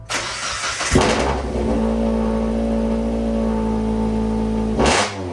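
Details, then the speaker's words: Scumbag Miata kart exhaust, refitted with RTV in place of a missing gasket, held at a steady raised rev: a loud, coarse, flatulent rasp that the muffler doesn't quiet, like a wet fart. "it didn't help this thing sounds like a wet fart"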